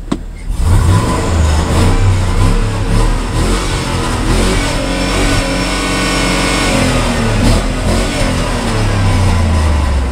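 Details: 2005 GMC Sierra 3500 dually 12x8 flatbed: deep V8 revving with an uneven, lumpy beat under the rise and fall. The owner says it runs a little rough; cause not pinned down.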